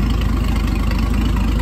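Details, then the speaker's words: 1957 Chrysler Crown M47 marine 265 cu in flathead six from a 23 ft Lyman, after complete overhaul of a seized engine with donor block and used manifold: deep even idle burble, regular pulses, no knock or miss; runs smooth and healthy. "But this thing sounds like an absolutely million bucks."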